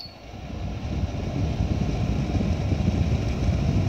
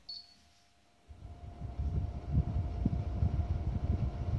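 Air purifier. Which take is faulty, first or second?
second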